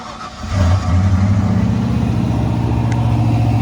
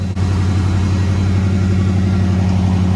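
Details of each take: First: 1994 Ford Bronco Eddie Bauer with a reportedly rebuilt 5.0 V8 and new AC compressor, at startup: a steady low rumble that briefly dips and stumbles before recovering; a short stutter that the AC being on might explain. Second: 1994 Ford Bronco Eddie Bauer with a reportedly rebuilt 5.0 V8, just after startup: a deep, steady idle with a low, even rumble and no knocks or misses; a healthy idle.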